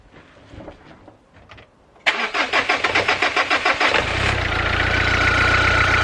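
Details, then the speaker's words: Renault Clio engine: cranks two seconds, catches, then an uneven idle with a persistent odd noise while the injection light stays on. Cause unknown; owner considers cleaning injector number 2. "bon niveau puis le bruit toujours présent donc je ne sais pas"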